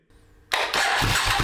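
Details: 37-year-old Suzuki Intruder 1400 motorcycle, unstarted for over five years, battery dead; starter cranks with a rhythmic chuff but engine never catches; owner suspects dead fuel pump, unconfirmed.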